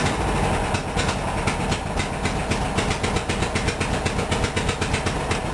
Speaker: that thing puff sounds me like the time is too advanced